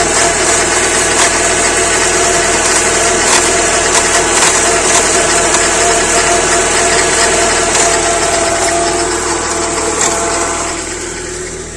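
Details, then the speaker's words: Peugeot 406 after engine control unit replacement with immobiliser disabled: engine catches and runs with harsh rasping roughness over hissy idle; cause unclear. "3 d 1 w pali ale coś tam coś tam rzęzi"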